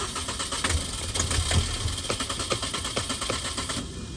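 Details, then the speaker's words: 2005 Mini Cooper Convertible that cranks but won't start, cranked with starting fluid: uneven cranking with a few sharp firing pops that never settle into an idle. Firing only on starting fluid points to no fuel delivery. "when we're actually putting starting fuid it does start that means that is replacing your fuel that's inside of your gas tank"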